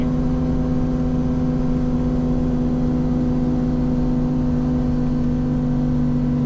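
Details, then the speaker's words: Ferrari 458 Spider, contact microphones on intakes, engine and accessories, loudest on the lower engine: steady low droning moan at even pitch over the engine note, occurring only at certain rpm; source not found, camshafts doubted. "so what's around there that would make that noise cam shafts but it's only happening at certain rpms so that wouldn't make any sense right"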